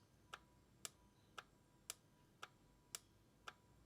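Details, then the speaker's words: Ford Focus no-start (U1900 code) with the starter motor relay removed and cycled on a bench relay tester that switches it ten times and checks current across pins 30 and 87. Crisp, evenly spaced clicks; the relay tests okay. "And it's saying that it's okay. So what it does is it turns the circuit off and on, and then checks for the current across pin 30 and 87 to make sure it's in good nick."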